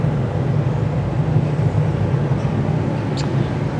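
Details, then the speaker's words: 1972 VW Karmann Ghia with a replacement air-cooled flat-four dated around 1970, even low burbling idle with no ticking or knocking. It sounds healthy despite a dirty crankcase and fuel pump. "You can tell it hasn't been, like I said, the engine sounds good, it sounds healthy, but it does not look like it's been a loved engine."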